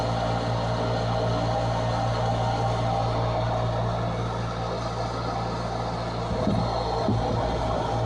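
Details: Furnace draft inducer motor just replaced after the old one squealed and failed to start despite a new capacitor: smooth steady hum with no rattle or scraping, a brief knock near the end; running normally.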